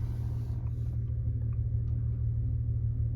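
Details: 2000 Toyota Avalon XLS, 3.0L 1MZ-FE V6, just started after sitting, idle slightly high: steady, deep, even hum with no dips, misses or hunting; normal smooth idle.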